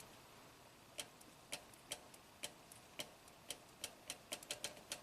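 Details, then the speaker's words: 2015 Toyota Camry, 125k miles, U760E transmission with P2714 shift solenoid performance code: harness bypass check on SL4 solenoid (6.3 ohms, spec 5) gives sharp, even dry clicks speeding up; the solenoid actuates normally. "Okay, so let's touch the negative lead here. Hear a click, lights up the same."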